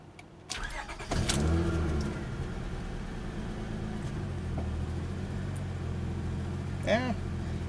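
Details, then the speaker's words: Car with 243,321 miles and many dash warning lights, including check engine; cranks and catches, then an uneven, lumpy, shaky low idle; bad exhaust smell, so an exhaust leak is suspected, not confirmed. "pretty shaky exhaust smells pretty bad so there might be an exhaust leak"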